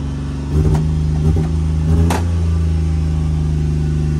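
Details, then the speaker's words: Copart auction manual-clutch vehicle with real-time four-wheel drive, started without pressing the clutch: catches after a few quick chugs, then a steady, fast, buzzy idle; idling high. "let's just see if it'll start start right up start right up she's idling high"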